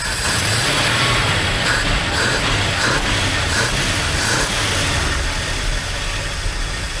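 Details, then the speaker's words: 1979 Dodge D300 truck, abandoned over 20 years, just started and warming up: rough idle with scattered light metallic pings and tinks over the exhaust; acorns and debris being blown out of the muffler. "hear that pinging and tinging it's shoving acorns and whatnot out of the muffer I think that's hilarious"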